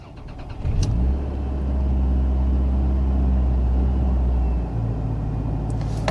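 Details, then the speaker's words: 2000 Toyota Camry petrol engine after new spark plugs and wires fixed cylinder 4 and random misfires, codes cleared: cranks briefly, starts cleanly, smooth steady idle, no hesitation in reverse or drive, misfire counters at zero. "rounds beautifully no hesitating let me run through the gears reverse drive and no problems at all"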